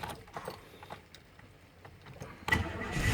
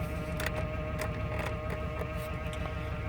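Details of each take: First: 1999 Chevrolet Suburban 1500 after spider injector replacement to cure misfire, engine cranked and idling: thin whine from power steering pump with no power steering fluid; idle otherwise okay, no misfire. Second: 1999 Chevrolet Suburban 1500 V8 after spider injector replacement, idling with power steering pump noise (no fluid); even steady low rumble, no misfire, hesitation or revving up and down: normal idle.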